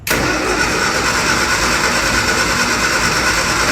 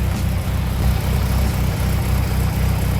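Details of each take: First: Classic Mini cranks with a steady, fast-churning starter but never catches or fires. Fuel is present and can be smelled, but no fuel pump is heard. It doesn't seem to be sparking. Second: Classic Mini engine idling on its first short run after starting: low, steady, even pulse with no knocks or misses; owner says it sounds good and dry, and thinks there's no oil in it.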